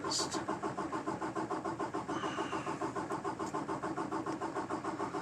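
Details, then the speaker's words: 2018 Peterbilt 579 after dealer replaced priming pump assembly for no-fuel-prime issue present since new; long steady starter cranking without catching, worse than ever after two weeks at shop, owner refuses to hand-pump; extended cranking hard start. "it's worse than it ever has since they had it for two weeks straight"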